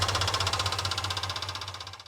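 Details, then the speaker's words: 1969 Ford F100 Ranger at idle, water hose at 120 degrees: old mechanical fuel pump clacks fast and evenly, about thirteen ticks per second, over a quiet idle; pump too loud and not working right, factory-style replacement ordered. "Okay, that pump is too loud. It's not working right."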